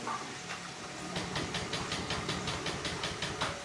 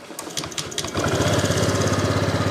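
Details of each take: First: Honda Vario scooter: slow, uneven cranking puffs about 2.5 per second on electric starter that never catch; fuel pump hum present; battery suspected weak; won't start. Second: Honda Vario scooter brought in hard to start, after fuel system work: a few starter cranks, then the small engine catches at about one second and settles into an even, quick idle; normal start and idle.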